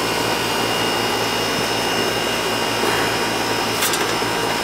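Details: Outdoor AC condenser for the first floor, reported running but not cooling; left running to check charge: constant low hum with steady fan rush, no rattles, clicks or cycling; running normally.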